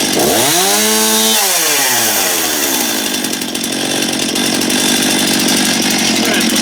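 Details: Stihl MS271 chainsaw test run after replacing a worn, grooved clutch drum. It revs up fast, blips, then holds a steady, high, even scream with no missing or bogging; running clean, though it seems very loud.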